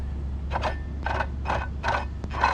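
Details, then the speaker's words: Old water pump removed from a Mercedes ML55 and spun by hand: about two gritty metallic grinding bursts per second over a low hum, the same noise heard when driving. The worn bearing means the pump needs replacing. "Hear all that metal? That's what we hear when we drive. So definitely time to replace."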